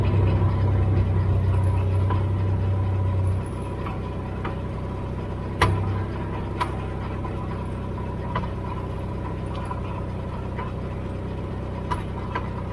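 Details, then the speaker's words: Dodge at idle: a dull clunk every few seconds; the owner believes the clunking comes from a failing rear end. "clunking located in rear end, rear end is going"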